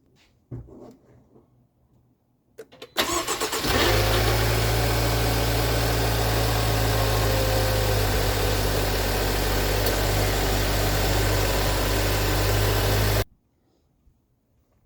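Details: 2016 Land Rover Discovery Sport (L550) just after replacement with an H7 AGM battery: a brief crank catches at once and settles into a smooth, even idle for about nine seconds. Normal start and idle.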